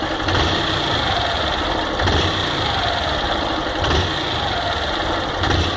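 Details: Honda Fan 160 single-cylinder motorcycle at idle: rough, rattly note with a heavier surge about every two seconds; noise from the engine, cause not pinned down.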